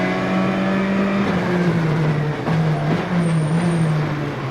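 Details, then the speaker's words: Rally car onboard at speed in 2002 WRC Rallye Deutschland, Citroën: steady engine drone under load with a thin high squeal as the driver pumps the brakes into corners; brake squeal. "Now you hear the squeaking of the brakes when he comes to the corners."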